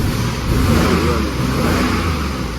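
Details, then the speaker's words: Chrysler 3.7 V6 Jeep bought at auction, running rough: held-up engine speed with an uneven, lumpy exhaust beat; code shows cylinder 5 misfire and fuel system rich; bent valve and broken valve cover found. "see here guys all right now y'all hear it uh we're going to run the code um yes b035 cylinder number five um fuel system one/ one rich"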